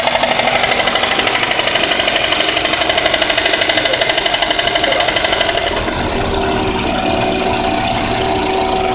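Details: 1992 Toyota Camry 4-cylinder, run low on oil on the freeway until it cut off, now idles clattery with sharp, fast knocking about three beats a second, even after oil and additive were added. Engine knock; cause suspected, not confirmed.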